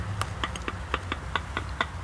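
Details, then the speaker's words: Worn front-wheel-drive CV axle twisted by hand under the car, sharp metallic clicks about four a second; this axle shook the car when getting on the highway and has play, unlike the good one. Definitely bad CV axle. "was able to rotate the axle like that you hear the clicking that axle is definitely bad"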